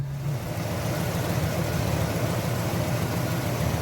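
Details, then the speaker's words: 1973 Buick Centurion 455 V8 after replacing a twisted, damaged lifter, cam not worn: smooth, even low rumble at steady idle with no ticking or tapping from the top end; repaired, running great; normal idle. "it's all back together and running great now"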